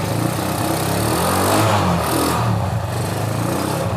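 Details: Honda Megapro motorcycle that was totally dead with no spark, running after the spark plug is refitted and a new CDI is tried; a broken wire is also suspected. The single rises and falls smoothly with throttle, picking up cleanly without cutting out.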